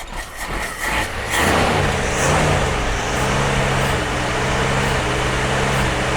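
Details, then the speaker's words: Jeep CJ5 not started in about 34 years. After cranking it catches and settles into an uneven, lumpy running note that wavers in pitch. Rough running; owner suspects old gasoline in the lines. "well that's it's that old gasoline in there you know we didn't clean that crap out"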